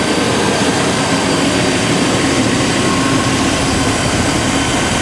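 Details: Chevy/GMC 5.7L Vortec V8 truck after fuel pump replacement idles with a steady, even rumble and a constant airy roar, with no misses, knocks or stumbles. It is idling normally.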